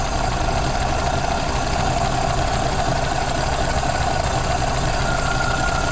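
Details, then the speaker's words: 1932 Ford Model B 5-window coupe, warm, after exhaust/intake manifold gasket replacement (cracked exhaust manifold), bolts retorqued to about 30 ft-lb: steady, even idle, smooth low thrum, no hiss or stumble; no vacuum leaks, running pretty good. "right all right well it sounds like it doesn't have any vacuum leaks it's running pretty good"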